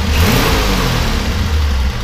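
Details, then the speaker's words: 1965 Ford Falcon Club Van with its 170 six: smooth, even low engine note rising with a light rev and settling back, no knocks or ticks; runs nice, engine sounds good. "But, you know, it does run nice. Engine sounds good. Go and rev it up just a little bit."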